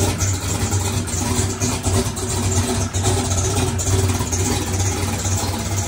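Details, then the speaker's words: Chevrolet single-turbo race car after electric primer pump install for mechanical fuel pump; loud, lumpy engine runs steadily, picks up cleanly on throttle blips, no stumbling or cutting out — normal running. "boy oh boy that thing sounded good"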